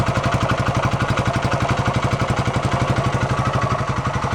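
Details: 1972 Honda SL125 single-cylinder after restoration, timing still to be adjusted: steady, even putter at about three beats a second, no misses or knocks; a clean, healthy idle.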